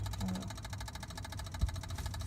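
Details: Ford Fusion died while getting gas: fast, even clicking, about eight a second, with no cranking, so the engine won't start; the cause is unknown.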